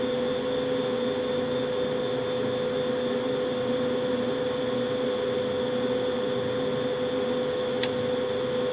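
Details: Carrier furnace's first startup of the season, with the zone dampers possibly clicking as two zones open and the inducer revving up; even, steady motor hum with a single sharp click near the end, no roughness: normal furnace startup.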